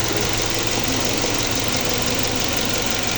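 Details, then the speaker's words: Nissan Livina 1.5 after valve seal and valve clearance work, replaced dead spark plug and two clogged injectors: steady, even, smooth idle with no knocks or ticks; normal idle. "Aman. Tidak ada suara kasar atau noise-noise yang mencurigakan."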